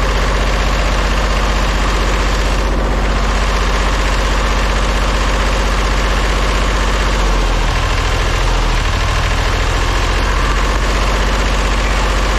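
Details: Old diesel vibratory roller compactor, first run after sitting 30 years: runs rough at mid throttle with a regular stumble about three times a second, a bit smoky; owner thinks it is missing on one cylinder.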